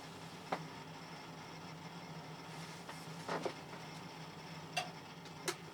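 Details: Lenovo ThinkCentre, once flooded and fitted with a new motherboard, on a slow boot past one minute from an old 80 GB hard drive before an SSD upgrade. Faint spin hum under scattered, irregular head clicks and chatter.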